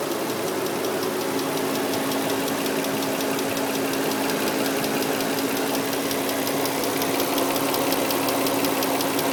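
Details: 2003 Nissan Murano V6 at idle, with new CVT fluid and Castrol synthetic-blend oil: light, quick ticking of about three taps a second that just started; cause unknown.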